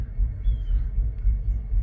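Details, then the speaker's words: Mercedes R500 V8 at idle: deep, uneven throbbing chug pulsing several times a second, car shaking, though fine when cruising; rough idle caused by a faulty EGR valve. "It's only when it gets at idle that it is just horrendous."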